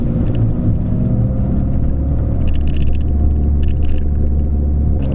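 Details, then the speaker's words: Peugeot 206 front suspension after fitting new coilover, new sway bar link and new coilover top mount with bearing, driving over bumps: smooth even road rumble, no knocks or clunks; earlier clunking cured. "woohoo everything seems pretty good for now i don't hear any noises"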